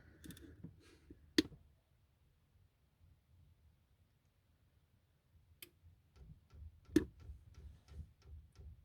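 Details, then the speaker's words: Newly installed diesel heater in a 1990 Elddis Autoquest 270 motorhome, manual fuel priming: light, even fuel pump ticking about three per second, normal, with air still in the fuel line. "oh yeah and i can hear the pump and hear that ticking that everyone keeps on about don't seem that bad actually"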